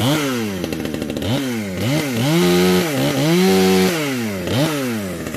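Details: Modified Husqvarna 455 chainsaw, decked, new home-made exhaust pipe, compression building: sharp revs snap up and drop back cleanly with good response; running healthy and tight.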